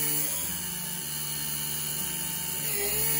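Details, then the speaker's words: Taig CNC mill with 2:1 spindle pulley (motor 4500 rpm, spindle 9000 rpm), 3/16 end mill cutting 3/8 in heatsink full depth, 0.030 in step-over: high steady spindle whine with chatter sags briefly under load and recovers quickly; normal. "you can see when the motor strains it drops slightly but it recovers pretty quickly"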